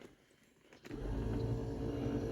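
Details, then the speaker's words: 1978 Mercury Marquis Brougham 400 parts car, rear power window: after a second of quiet the motor starts and hums steadily while the arm travels fully but the glass doesn't move; the regulator roller or glass track has likely come off or broken. "hear that crap you know what hear that the roller came off of the regulator or something because the arm is going full travel down and full travel up and the window's not moving"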